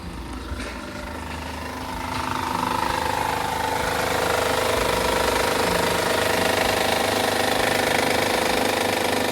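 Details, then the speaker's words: Honda 3.5 V6 petrol idling at startup with a fast, rattly chatter from a timing belt with no tension slapping; the chatter means the timing belt needs replacing. "And that right there is the noise it makes when the belt has no tension"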